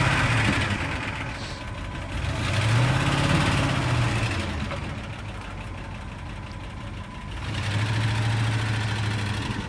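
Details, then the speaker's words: 1972 Ford F250 4x4 Highboy revived after sitting at least 15 years: light regular ticking about three a second over a lumpy V8 idle; still quite a bit of lifter tick. "It still has quite a bit of a lifter tech."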